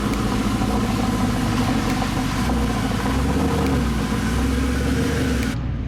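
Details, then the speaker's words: Mercedes SLS AMG driving home after a fluid change done with the wrong fluid: steady low engine note, smooth pull-away, no clunks or slipping flare between shifts; owner says it feels exactly the same as before, no hiccups. "It feels the same as it did before the fluid change with the wrong fluid and driving it home with the wrong fluid. It feels exactly the same. It never had a single hiccup."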